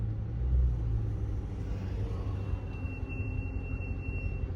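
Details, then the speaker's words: Chrysler 300 with a Scat swap, rolling: a low road rumble, then a thin high-pitched squeal for about two seconds that got worse after installing an added brake piece; the owner expects a full brake overhaul is needed. "It sound like I done made them worse by installing a piece that was supposed to be on them. Now my brakes squealing even worse."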